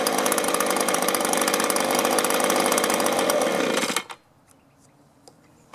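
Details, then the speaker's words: Echo two-stroke blower with a new carburetor and fresh fuel, started on choke: buzzes evenly, then abruptly cuts out after about three minutes of running. "so I had it running about maybe three minutes and you saw it finally just choked out"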